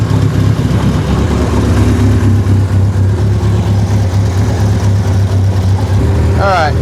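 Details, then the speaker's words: 1976 Triumph Spitfire 1500, dormant for years, first running with never-adjusted carburetor: steady low rumble, even pace, no knocks or misses, though it doesn't quite want to idle; sounds healthy. "still doesn't want quite idle well carburetor has never been adjusted H true I think she sounds pretty good for being dormant for how long yeah she sounds healthy"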